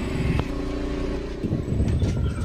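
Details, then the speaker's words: Yamaha Mio M3 fuel-injected scooter that stalls and has no power, started on the kick-crank since the starter fails: low, uneven chugging that never settles, will not idle and dies when the throttle is released. The finding is tight valve clearance with off throttle settings. "The crank is on, but it's slow, friends, it's not powerful and won't idle. Yes, if the gas is released, it's dead."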